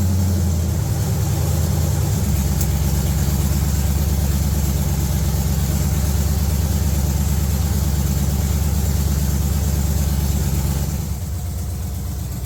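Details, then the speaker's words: Budget G-body El Camino with a Gen 3 LS engine on a $90 Amazon standalone wiring harness, after earlier failed attempts to run it reliably and throttle-body tweaking: steady, even low V8 rumble, no longer searching for idle, no surging; normal idle. "So after cutting off the truck, you can hear the idle of it. It sounds much more normal, and it's not up there searching for its idle, just trying to stay alive."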